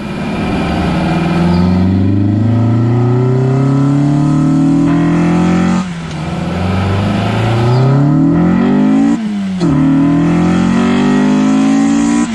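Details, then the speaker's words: Honda Integra with completed LS-VTEC conversion on its first drive after reinstalling the power steering pump and belt: revs climb steadily and sharpen with clean gear shifts; VTEC engages fine and pulls hard despite concern over the solenoid being wired to an auto harness shift solenoid. "So as you just heard, Vtec's engaging fine, it's pulling nice and hard."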